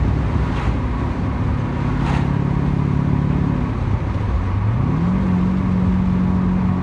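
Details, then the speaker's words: 1991 Porsche 944 S2 swapped to a Chevy 6.0 LS L77 V8 (450+ hp), retuned, in fifth gear at 50 mph and about 1500–1600 rpm with the windows open: a deep drone that dips briefly, then settles even; normal low-rpm cruise. "there you go i love that fifth gear 50 miles an hour drops right down to like 15 1600 rpms and it just runs real nice there"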